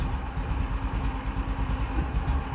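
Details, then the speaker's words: Cold engine just started, struggling to take throttle: a lumpy, uneven low putt-putt that never picks up cleanly; cold-engine hesitation. "a little cold come on well let's turn the choke back on there we go now let's see work still a little cold there we go that's how you know it's right"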